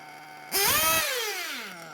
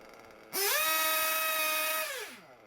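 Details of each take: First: Small nitro RC engine being tuned, low-speed needle leaned: buzzes at a fast idle, snaps up in a quick rev, then drops back to a brisk idle; idle too high, to be lowered. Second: Small RC nitro engine after tuning: idle gap set, low speed needle leaned for a good idle, high speed needle leaned for top end; snaps up to a high steady scream and winds down cleanly, revs pick up nicely, high speed needle good.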